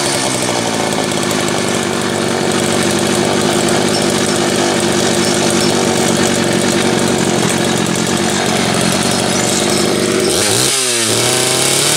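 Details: Homelite 330 two-stroke chainsaw, formerly trash-heap bound: rough, busy idle that climbs cleanly when throttle opens near the end; kill switch wire not yet hooked up; runs well.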